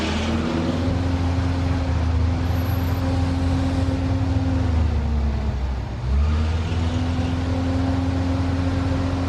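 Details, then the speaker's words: Upright AB62RT boom lift, sat over a year, running on old fuel: engine holds steady hum, dips briefly under load and recovers smoothly, no misses; healthy purr. "I just want to say did you listen to that purr that's still on that old fuel"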